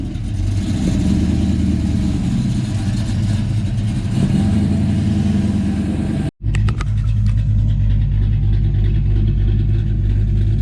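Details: 1984 GT350 Mustang carbureted 302 V8, still cold, after catch can install and PCV rerouting: started right away, lumpy but even idle burble with a steady rhythm, no ticks or knocks; running healthy.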